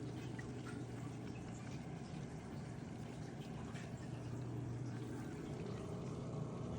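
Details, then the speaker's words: Fluval FX6 canister filter after repair (sand flushed from motor chamber, silicone grease applied): soft steady low hum with gentle water trickling, quiet, buzzing gone. "a Moment of Truth this works so far very quiet noise is gone"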